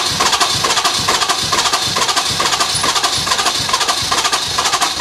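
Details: Ford F250 with 6.7 Powerstroke turbo diesel: steady starter cranking at about two beats a second with no catch or firing; crank no-start from an unusual fault.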